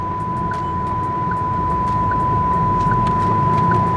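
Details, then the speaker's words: VinFast VF6 Plus electric car, 2 weeks and over 1,000 km old, while driving: sharp chime repeating about every 0.8 s over steady tone and road hum with nothing nearby; owner suspects faulty proximity sensor, chime settings cannot silence it. "it's like a proximity warning so something is too close to the car but actually there's nothing too close to the car I I think it's just a a faulty sensor that's causing this"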